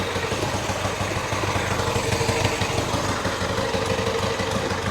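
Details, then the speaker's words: Twin at warm idle after kick start, both cylinders warm: even, settled pulse with no knocks or rattles; sounds pretty good, healthy. "Yep, they're both warm. Sounds pretty good."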